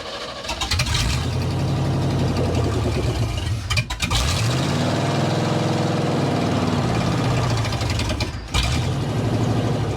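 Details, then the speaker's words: 1987 Chevy square body short-bed pickup, un-muffled straight headers, clogged fuel filter found, fuel pump powered by separate battery amid unsteady pump voltage: catches, surges and sags, nearly dies twice, can't hold idle; owner suspects distributor; rough running. "There it goes. It's doing something. Doesn't want to idle. I think the distributor's kind of messed up, so."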